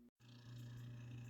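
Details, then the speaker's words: Vintage Webcor Electronic Memory reel-to-reel recorder plugged in and powered for the first time: a brief click, then a smooth, steady low motor hum that holds even. The motor runs properly, a good sign. "so the unit is plugged in and you can just hear the sound of the motor that's a very good sign"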